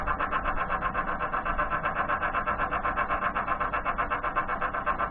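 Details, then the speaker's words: Woodturning lathe spinning a pen blank during finishing: a pulsing, warbling whine, about four beats a second, from a lathe bearing the owner thinks needs grease. "excuse that noise is the bearing in this i think needs some grease"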